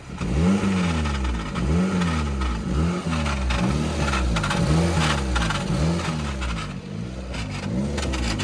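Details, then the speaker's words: Old-model Maruti WagonR with a complaint of a "kara kara" noise from the gearbox on starting, heard inside the gearbox from the left side. A rough grinding rattle under the engine pulses about three times a second; the cause is low gear oil. "അപ്പം ഇതാണ് sound. ഒരുപാട് നല്ല ശബ്ദങ്ങൾ കേൾക്കുന്നുണ്ട്."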